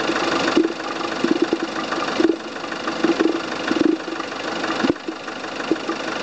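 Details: Volvo S40 at steady idle: irregular short squeaky chirps, a few per second in bursts, from the coolant expansion tank; source not pinned down.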